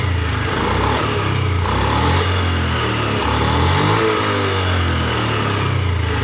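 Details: Honda Beat ESP scooter after faulty sensor replaced, fault codes erased and ECM reset and idle relearn done; previously stuttered badly and stalled on throttle with no MIL blink: picks up cleanly through throttle blips, no stumble or misfire; normal revving.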